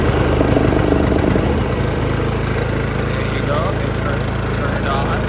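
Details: John Deere LA130 riding mower after fitting a new positive battery cable: the small engine catches and runs at a steady, even chug with no misses or dropouts, and it starts normally.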